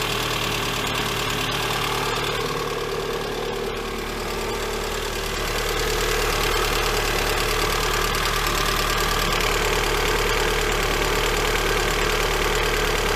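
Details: Lada Granta 126 engine after full rebuild (bored block, new bearings, 82.5 pistons, new timing kit and valves), even idle with steady fast light ticking about three a second, cold and hot; teardown found misaligned hydraulic lifters.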